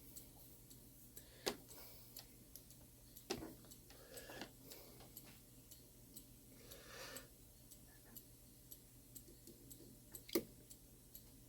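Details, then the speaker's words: Shanghai 555 clock on a beat analyzer, before adjustment: quiet ticking with tick and tock at uneven gaps, a limping rhythm; the clock is out of beat and won't stay running until leaned to correct it. "It's out of beat right now. I can hear it. You're going to be able to hear it too."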